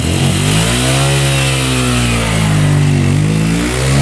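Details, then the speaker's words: Yamaha Raptor single-cylinder quad after valve clearance check, with good compression and spark: steady, low, even putter, no smoke, no knocking, top end sounds good; normal idle. "No smoke at all. That's good. Top end sounds good. No knocking. Idling perfectly. Nice and low."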